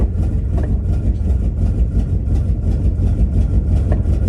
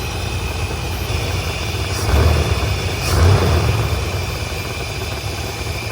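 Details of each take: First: 1984 Chevy C30 crew cab dually, 454 big-block with Quadrajet carburetor, cold in snow at high idle: deep V8 idle with uneven lumpy pulse and irregular stumbles about three a second; owner suspects bad plug wire or plugs. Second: 1984 Chevrolet C30 crew-cab dually, 454 big-block with Quadrajet carb adjusted: steady low V8 burble with a couple of blips, settling to an even idle estimated by ear at about 1,000 rpm, down from roughly 2,500 before; normal idle.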